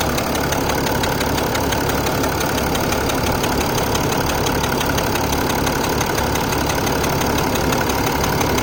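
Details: Mercedes ML350 BlueTec with the OM642 turbo diesel: an even idle with a fast, light metallic ticking riding on top, steady and unchanging. An independent mechanic said the noise is normal.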